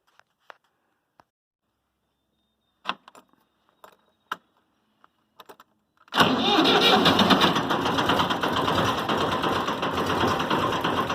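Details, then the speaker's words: 6.0 Powerstroke diesel truck cold start after a new alternator (the old one wasn't charging), new ICP sensor, new injector, fresh diesel with injector cleaner: a few clicks, catches at once, steady even diesel clatter, no stumbling. Normal cold start. "oh yeah it's barely floats about holy [ __ ] sounds like a freaking diesel war gee"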